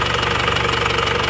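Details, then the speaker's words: Isuzu Panther diesel after repair, warm at 79 °C: quick, even idle clatter with no missing beats or uneven knocks; oil filler check shows no smoke, engine normal. "Jadi sudah oke juga ini kondisinya. mesin rata. Nggak ada asap, normal."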